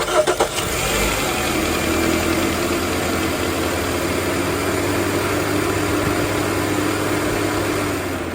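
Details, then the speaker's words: 2016 Ram Promaster City with overheating issues, radiator fan rewired to run with the ignition; the engine cranks, catches and settles to a steady idle with the fan's even whoosh running throughout. "Now there you have it. The fan kicks on whenever the engine is on. Actually, whenever it's switched to on, and the fan will start moving."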